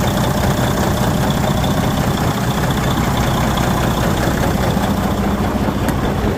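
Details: DD15 diesel, overhauled and run 110k since, idling steadily and heavily with a loose, uneven knock of roughly two a second; the cause is unclear and it also makes a static noise when accelerating.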